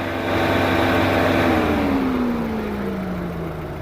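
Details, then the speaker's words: 2005 Chevrolet Astra overheating, fans only kicking in near 220 °F: one fan in second speed loud while the other spins very slowly, pitch sliding down; fan relay failure found; slow cooling fan. "se escucha un sonido bastante fuerte y bueno ha comenzado a descender la temperatura debería de estar funcionando el otro ventilador pero este gira muy muy despacio casi no se nota"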